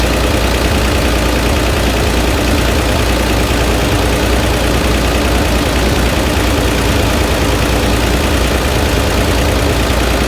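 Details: Flooded Chevrolet Corvair engine, microphone placed where the noise is loudest: loud, rough idle with uneven knock in the clatter; engine knock at idle not diagnosable from above, engine must come out for teardown.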